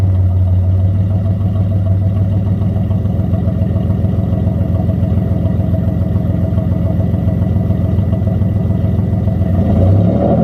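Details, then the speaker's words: Mitsubishi 3000GT SOHC with gutted catalytic converters, some exhaust fasteners snapped and a thicker gasket fitted: loud deep steady exhaust drone with rapid even pulse; owner suspects slight exhaust leak or just gutted-cat noise, unclear. "I got a fatter gasket, and I mean, I hear something. Maybe it's just the noise from the cats being gutted out."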